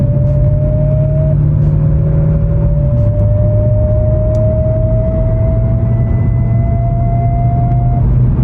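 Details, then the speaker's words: V8 Mercedes AMG gearbox when cold: steady whine rising in pitch with road speed up to about 30 mph over a low drone; goes away once it reaches temperature. "It's not good, but the moment it comes up to temperature, it's fine. It's fine. It goes away."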